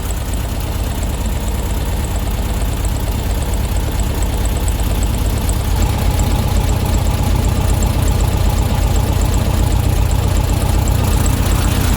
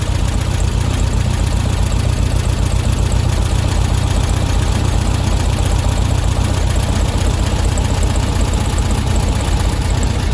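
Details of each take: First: Classic VW Beetle engine after ignition timing and carb tune-up, not fully warm, idle screw set to 850–900 rpm and still rising slightly; steady even low chug with no misses or knocks: normal idle. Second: Air-cooled flat-four in a VW Beetle during a tune-up, warmed up: idle screw loosened and engine speeds up with a steady, even chuffing to about 1000 rpm; idle speed too high, wasting fuel, owner likes it slightly high for cooling.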